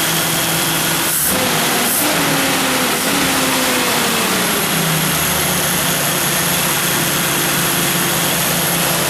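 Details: 1982 Jeep Scrambler 4.2 straight-six just converted from carburetor to fuel injection with a Howell kit, injectors working. Steady, even running with a few tone shifts as revs settle and no knocks or misses; normal idle.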